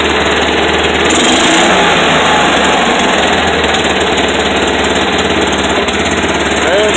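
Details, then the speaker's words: Kawasaki Mule that wouldn't start, after rusty tank flushed out, carb and fuel line reinstalled, idled up a little: loud, steady engine chatter at raised idle with even rhythm, no stumbling; normal fast idle. "to just idle up a little bit see how we do I think we should be pretty close"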